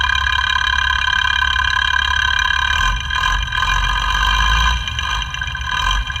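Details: FAW truck 260hp six-cylinder diesel idling after an overhaul, heard with a sound tester at the injection pump: a sharp metallic tak-tak over the idle.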